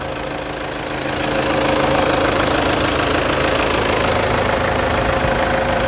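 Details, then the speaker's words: Toyota Hilux 2.5 diesel, 2008, idling after engine wash, full service and preventive radiator replacement with new coolant: steady even diesel clatter that firms up and stays smooth with no misses, a healthy normal idle. "E olha que beleza moçada Olha que esse motorista redondinho é"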